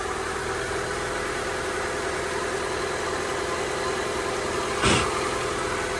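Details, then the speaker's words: Honda EK hatch, D16Y7 freshly refreshed (head gasket, water pump, timing belt, seals), settled after first start-up, idle about 1,300-1,500 rpm: even fast idle hum, steady note, no misses or ticking apart from one brief clunk; normal idle. "Idle's about 1.5, a little under like 1.3. Sounds about right. What a relief."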